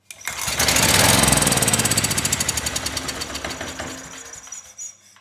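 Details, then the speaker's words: Ridgid 5700 W generator, Yamaha MZ300 engine, dump find that would not start; after spark plug regapped to 0.030 in, briefly run with a test light connected, which stayed off as engine wasn't up to speed: fast fairly even firing beat that settles and fades. "i got nothing from that light but the engine wasn't up to speed so i'm going to try it again"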